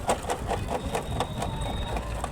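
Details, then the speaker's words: Hero iSmart motorcycle at idle: quick, even slapping about five times a second as the drive chain hits its cover; the chain is very loose. "इस तरीके से बहुत बुरी आवाज आ रही है इसका मतलब क्या होता है अभी आपको हम दिखा रहे हैं बता रहे हैं इसका मतलब यह होता है दोस्तों चैन बहुत ज्यादा लूज है"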